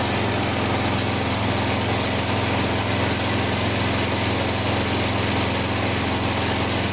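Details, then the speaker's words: Simplicity 4212 garden tractor, first start in restoration: loud small engine running with irregular hunting beat, stumbling; owner suspects a carburetor problem. "She That sounds good actually. If it stays running for a little bit. I think something with the carbs going on or something."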